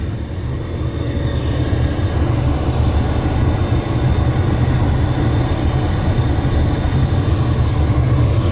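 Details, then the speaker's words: 2013 Dodge Dart blower motor, after reconnecting its plug (it had worked intermittently, then died): key on, AC running, steady even rushing air with a constant low hum, no squeal or rattle; blower running normally. "Alright, is it on? It's on, and it's working. Hear it? Yay! That's what it was."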